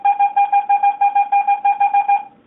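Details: Garrett AT-Pro metal detector air test with a copper penny. Crisp mid-pitched beeps repeat about six times a second at a steady pitch, then stop: a normal copper penny target tone.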